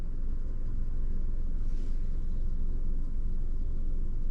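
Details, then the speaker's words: Manual car in UK driving lesson, no throttle applied: steady low engine rumble with a slight shudder and dip in the note as the clutch is raised to the biting point. "Can you hear anything? Yeah, you can. Mhm. That's the biting point."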